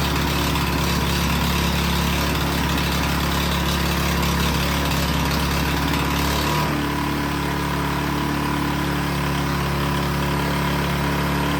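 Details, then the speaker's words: Toro Power Clear single-stage snowblower that backfired on a pull start and would not start, after repair and topping up very low oil: a steady, even single-cylinder putter with no misses, knocks or backfires. Running smoothly; an oil change to 5W30 is still due. "All right, it is running like a champ."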